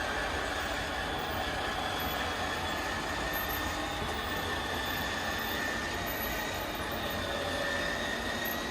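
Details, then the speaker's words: Schwintek RV slideout after Lippert replaced one side, in cold weather: steady, even motor drone with a faint constant whine, no clunks or strain, running out smoothly and faster than before repair. "they replace the one side it's working great all right we're going to bring the slide out in and now we'll send it back out"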